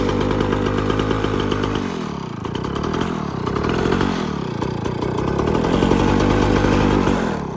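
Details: 1957 Jawa 550 two-stroke, just repaired: buzzy beat rises and falls evenly with throttle blips and settles back without stumbling; healthy, warm engine.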